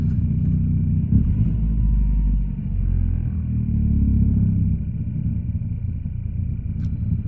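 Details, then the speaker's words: 2012 Ford Focus 5-speed, cold start at 10 degrees: a deep, uneven rumble with a faint clunky rattle at idle. The owner suspects something vibrating in the dash, the sports exhaust, or the motor mounts. Cold start rattle. "I don't know, maybe it's something like vibrating in the dash, or it's just the sports exhaust, but, oh, there we go. So if you guys can hear it, kind of sounds a little clunkier."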